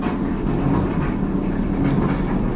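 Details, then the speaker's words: Kenmore gas dryer running with a loud, steady rolling rumble like a rock tumbler; worn drum guide rollers, replaced along with belt and idler. "notice how loud that is that's a very good indication that the guide rollers that the drum rides on are bad"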